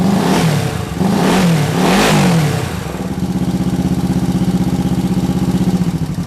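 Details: 1968 Honda CL450 twin after starter clutch repair and clutch cover change, started on the electric starter: fires and revs cleanly, then settles to an even, steady twin idle; sounds healthy.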